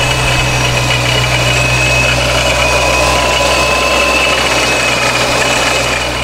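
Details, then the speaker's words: Procharger-supercharged Dodge Scat Pack at idle, rpm raised slightly: steady idle with a coarse, uneven gravelly rock-crusher rattle, much milder than at base idle; rattle at idle, source unconfirmed. "as you can see it still has some of the rock crusher sound but not nearly as much just because that little rpm"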